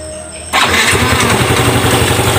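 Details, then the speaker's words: Automatic scooter after cleaning dirt and rust from the clutch to cure judder on initial start: starter catches, engine fires at once into a steady, even low throb without stumbling; start judder gone, normal. "Oke, mantap ya hasilnya ya. Oke, seperti itu normal ya. Oke, sudah normal."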